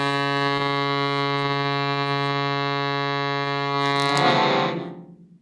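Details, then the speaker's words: Shruti box after repeat filing of buzzing reeds, final test: steady sustained drone with clean pitch and no buzz, fading out at the end; reeds now healthy. "the second buzzing read is now happy the third it's the happiest little route i've ever heard"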